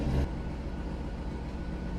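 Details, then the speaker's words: 2003 Chevy Corvette with reduced engine power and P1221 code: after cranking, the engine runs with a steady, even low rumble, no misses or knocks, and now sounds a lot better; normal running for the moment. "Look, it sounds a lot better right now."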